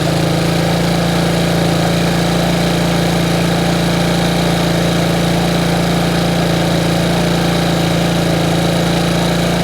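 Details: Bombardier Traxter 500 ATV single-cylinder with rebuilt carburetor, warm restart: steady, even but noticeably fast idle that won't settle, because the previous owner had turned the throttle cable adjuster out too far; being readjusted.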